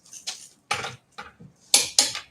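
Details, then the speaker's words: Torque wrench set to 100 ft-lb tightening fasteners on a car: sharp metallic clicks in short irregular bursts over a quiet background as it releases at set torque, as intended. "for that clicking sound if you're not a mechanic that's the sound of it hitting 100 foot pounds that's the sound we want to hear"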